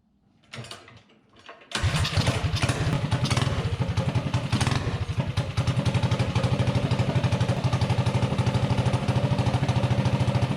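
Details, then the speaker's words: Predator 224-powered GTS mini bike, 26 mm PWK carb, after main jet dialed in for top speed, testing mid-range throttle: fires up and settles into a quick, even putter with no bog or hesitation; needle set about right. "the needle is set just about right because there's no bog or hesitation"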